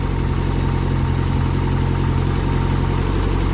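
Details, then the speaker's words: Barn-find Ford Escort RS Turbo Series 2, first start after long storage, warming up: steady even low idle with smooth regular beat, no knocks or misses; normal idle. "i better open that door guys can you believe that that actually sounds really really good"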